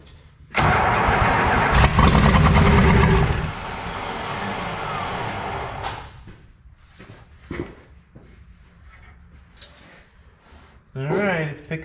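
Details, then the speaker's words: 1966 Plymouth Fury III, 62K miles, sitting with swapped engine, gas poured in to start: steady churning crank at two to three beats a second for three seconds that never catches while fuel is still being picked up; later runs but sounds like missing. "it's picking up fuel. Okay, try it again. Oh, give it a little gas."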